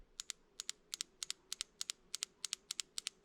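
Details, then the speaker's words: Porsche 3.2 Carrera fuel injector from cylinder 5, bench-tested with a 9 V battery: crisp paired ticks, about three per second, as the pin snaps open and shut about three mm; a working injector. "that's what we want to hear now what it's actually doing is moving this small pin here on the end it's but it only moves about three mils so it's very difficult to see it move"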